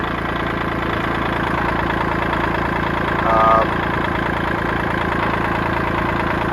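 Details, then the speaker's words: 1980s $500 boat's 125 hp four-cylinder two-stroke at a steady idle, with a loose, uneven rattle over it from the output shaft jiggling because of missing bearings; the motor itself sounds solid. "it runs good I can definitely hear that output shaft jiggling down there but motor sounds solid that's the selling point right"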